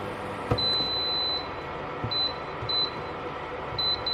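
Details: Electrolux single induction hob with broken glass that clicks and will not detect the pot. Short high beeps in an irregular pattern over a quiet room with no heating hum; it beeps but will not heat.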